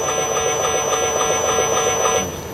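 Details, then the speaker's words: Mercedes-Benz GLK350 on a load road simulator, heard through earphones: a light, regular tapping knock about four a second from the front suspension under simulated load, narrowing to suspect point no. 3; a shake by hand cannot reproduce it. "3번이 여기서는 좀 탁탁탁 치는 소리가 나긴 나네 그니까 사람이 흔들어서 이거를 못 해요 아무리 천화 장사해도"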